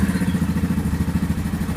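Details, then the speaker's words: Yamaha Grizzly 550 ATV, 2015, about 129 miles and 20.7 hours, sat a lot and was dying and barely cranking; after fitting a fresh spark plug it cranks easily and idles with no throttle, with quick even single-cylinder thumping and no stumbles: normal idle. "Wow, did seem to turn over very easily. It does not seem to be choking out. I have not given it any gas. It is idling."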